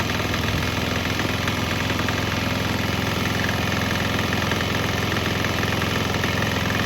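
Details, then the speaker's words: Swan X 165F Chinese single-cylinder diesel on nearly straight used canola fryer oil: steady thump at about three and a half beats a second, holding even speed with no stumbles; normal running. "Fired back up. Right now it's pretty much straight canola, so we'll get a couple minutes to see how it runs."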